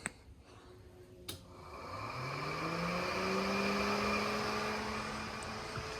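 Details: LS-swapped BMW E46 radiator cooling fan switched on via a switch-panel relay on a 30 A fuse (fan thought to pull more): a click, then a smooth whir rising as it spins up and settling at a steady speed. Normal cooling fan operation.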